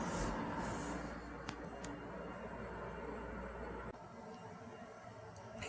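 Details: New Eurgeen dehumidifier first switched on in basement: low steady hum with soft fan rush staying even as the compressor starts; running smoothly.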